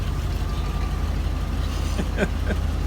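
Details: 1992 Ford F150 just after fuel pump replacement, first run in a while: low steady idle with even firing, no misses or knocks, light background clicks; healthy, may need new air filter.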